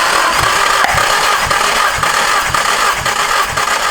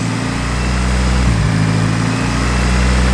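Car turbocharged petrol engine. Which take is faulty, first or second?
second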